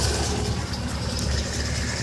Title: Lifter tick?